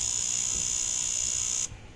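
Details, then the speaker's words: Naza Citra automatic gearbox, shift control solenoid valve actuated by scan tool: steady high-pitched electrical buzz for about a second and a half, then cuts off cleanly; test succeeded, solenoid responding normally. "Okay, maksudnya bila kita tengok sini, kita stop. Okay, succeed. Nampak tak? Succeed. Maksudnya solenoid ni berfungsi dengan baik."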